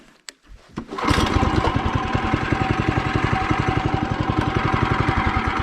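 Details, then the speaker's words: Upgraded mini bike, warm, just after a test run: the engine catches and settles into a quick, even chuffing idle with light belt whir and no clutch ding, slightly louder needing more throttle; runs healthy. "So, just from that idle, you can already hear that you don't hear a ding from the clutch. You only hear the belt. But it is a slightly louder because you have to like give it more throttle."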